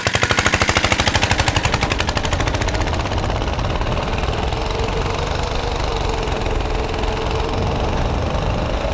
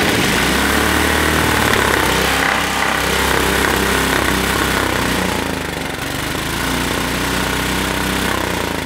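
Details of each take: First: Tecumseh 6.5 hp go-kart engine after a freed-up air filter and repairs, timed run: fast popping that winds up hard and holds a steady high-rev drone at full throttle; runs clean and strong, normal full-throttle running. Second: Tecumseh 6.5 hp go-kart engine revved hard after freeing up the air filter: a rough popping bark that hits a ceiling, spitting back through the carburetor. Suspected valve float from weak valve springs, not confirmed.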